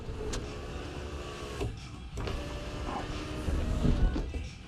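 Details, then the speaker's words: 1999–2005 Pontiac Grand Am sunroof after the motor was swapped and grease added to the chambers. Even motor whir as the glass travels, with only light clicks at start and stop. Normal, smooth operation. "I even put grease in the chambers, ran this thing back and forth. As you see, it's going down. I mean, it moves pretty smooth."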